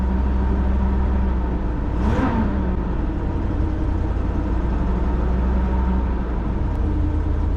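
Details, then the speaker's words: 1990 Fleetwood Bounder Class A motorhome, Chevrolet 454 big-block V8, cold start after sitting overnight; deep even rumble, smooth steady idle, one brief whoosh; quieter after timing was reset, though some noise still heard up front; starter suspected failing. "But it sounds better. I think the timing is, I think we do have the timing much better now. I think it's gonna be spot on. It doesn't sound quite as noisy in here."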